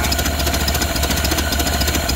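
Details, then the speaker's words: Ford Model A off the road 65 years, with fresh gas and corrected ignition wiring, slightly choked: slow, even low four-cylinder idle, steady putter with no knocks or misses. Idling nicely and low, as these do. "I don't know, it's idling really nice. I don't know, these things idle pretty low like that."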